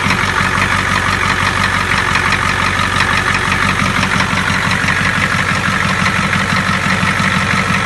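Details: 7.3 diesel truck after replacing the faulty fuel injector: steady, even idle clatter with the previous tapping sound gone.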